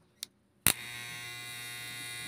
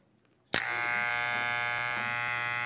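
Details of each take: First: Hair clipper after tightening the loose blade tongue: click, then steady even high buzz and low hum; main noise gone but slight residual noise remains from a loose screw. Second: Hair clipper running with a loud, harsh buzz and strong rattle caused by loose, wobbling blade parts; fix is tightening (pressing) the loose part so it no longer wobbles.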